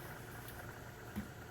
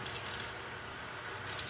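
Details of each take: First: Tufão household fan after lubricating its bearing with white aerosol grease/oil, previously squeaking like a scared mouse: now a quiet, even low hum with no squeak or chirp; fixed, running normally. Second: Tufão household fan running: steady air rush with a thin, very high squeak like a frightened mouse, from dry motor bearings.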